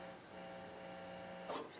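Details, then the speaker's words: Bryston 3B power amplifier and 0.5B preamp combo: faint steady low hum with higher buzzing overtone; aluminum lid gives no magnetic shielding, possible broken ground connection suspected; residual hum. "And part of the reason why this is uh we're getting the hum is because they put a aluminum lid on this. And aluminum is not a magnetic shield."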